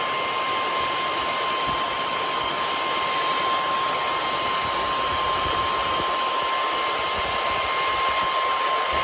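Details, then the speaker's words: Powerjack 12000 low-frequency inverter under a 6000 W load test, with the transformer area around 100 degrees. The cooling fan runs at full speed with a loud, even rushing whoosh and a thin high whine, which sounds normal. "here's your 6 000 watts it's doing it there goes the fan you can hear how loud that fan is still on"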